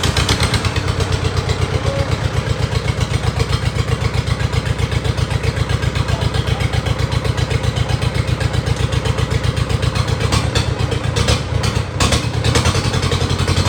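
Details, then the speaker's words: Isuzu 4JG diesel engine test-run out of a vehicle, lifted on a forklift, about 5 L of oil added, with no exhaust pipe fitted: a loud, raw, very even bark of about four pulses a second, harsh only because of the open exhaust. "ท่อเครื่องตัวนี้มันไม่มีท่อไอเสียครับผมมันก็เลยเสียงแปลกๆนิดนึงนะครับปลายท่อไอเสียมันไม่มีนะครับ"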